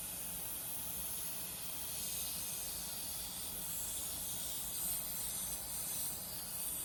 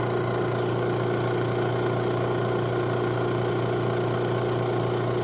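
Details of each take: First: Robinair 134Z refrigerant recovery machine, compressor suspected faulty: filter drier fitting loosened with pliers; steady soft hiss of leftover Freon escaping, which the compressor had been unable to pull out. Refrigerant leak at loosened fitting. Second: Robinair 134Z refrigerant recovery machine under diagnosis for a suspected failed compressor, new filter drier fitted: output valve opened, unit switched on, pulling vapor at about 20 psi; steady even low hum, no knocking or surging. Normal operation.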